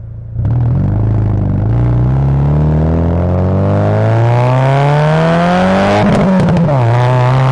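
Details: Subaru Legacy with an aftermarket exhaust, after replacing a long-blown exhaust gasket that caused a leak: revs up smoothly with a clean rising note and settles, no puffing or ticking at joints; exhaust sealed.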